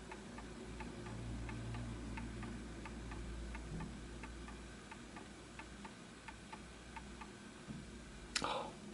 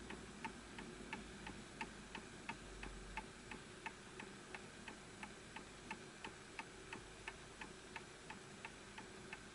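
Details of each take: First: Antique Enfield Westminster chime mantle clock, fully wound, during pendulum and level adjustment: quiet, steady tick-tock with unevenly spaced beats. Slightly out of beat, probably needs a small nudge to the right. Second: Antique Enfield Westminster chime mantel clock after pendulum adjusted to the level surface; crisp, even tick-tock about 88 beats a minute with equal spacing: clock in beat and running healthy.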